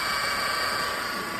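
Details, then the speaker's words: Mercedes-Benz E200 W212 with M271 engine: steady high-pitched howl at the front of the engine, louder when revving, at idle and while driving; a worn idler pulley bearing, replaced along with the second pulley. "ได้ยินมันจะหอนยิ่งเวลาเราเร่งเครื่องเ้าก็จะยิ่งดังขึ้นนะ"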